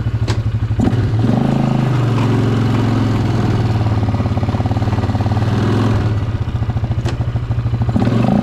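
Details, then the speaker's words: Barn-find Polaris Scrambler 500 ATV, revived after sitting 10 years, ridden without its front end fitted: the single-cylinder engine pulls strongly and evenly as revs climb under load, firing steadily with no knocks or misses. Runs healthy. "Okay, now this has no front end on it, but that's [Music] fine. That's man. She rips."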